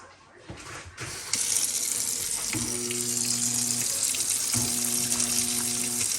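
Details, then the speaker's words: Fairly new garbage disposal, over running tap water, gives a steady electric hum twice but never spins up; it's trying to run but stuck, jammed flywheel, to be freed with the self-service wrench after switching off and unplugging. "so it's trying to run it's stuck for whatever reason"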